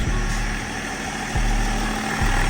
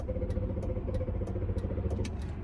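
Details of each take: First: 2005 Range Rover L322 TD6 diesel, 190k miles, after priming the fuel system two or three cycles: settled diesel idle with an even, rhythmic clatter that holds steady; running normally again. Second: 2005 Range Rover L322 TD6 diesel, 190k miles, fuel injection fault, after priming fuel: starter chugs engine over with light rhythmic clatter but never fires; crank no start, suspected fuel system and/or glow plugs.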